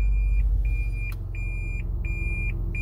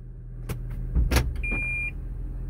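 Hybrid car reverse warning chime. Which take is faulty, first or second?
first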